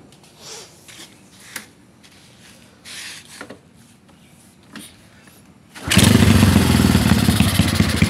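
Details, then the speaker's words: Karisma 150 single with newly fitted BoyRenk type A camshaft and PWK 28 carburetor, first run after head reassembly: fires up and revs hard, slightly uneven; runs but carb mixture setting still slightly off, needs retuning. "Oke seperti itu kurang lebih suaranya slur ini nanti mau di-setting lagi mungkin ada kurang di settingan karbunya ini kurang kurang pas"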